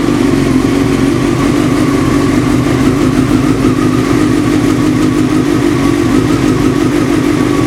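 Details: 954 motorcycle idling, warming to about 40–50°: dull, even knock under the exhaust beat fades as it warms and quiets slightly with clutch pulled in, nearly gone by 50°; engine knock, cause unknown.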